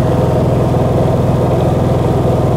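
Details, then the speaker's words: Honda EU30iS inverter generator at about 150 hours, just after overdue maintenance including an oil change. It runs healthily under a roughly 400 W light load with a steady, even low drone. "se lo escucha perfectamente saludable."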